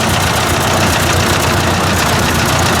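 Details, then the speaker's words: Ford 800 tractor with heavy disc attached: loud, ragged engine roar that won't settle to an idle; owner suspects low compression, no blue smoke seen; cause unconfirmed. "And this stupid thing, I just cannot get it to idle. I wonder if it's down on a bit of compression."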